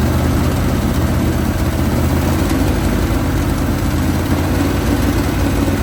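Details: 1980 Chevrolet Sierra Grande K1500 truck that sat 22 years, running after a new distributor and belt tensioning. Deep, even V8 burble with a steady low rumble and no misses or knocks. Idling smoothly, normal.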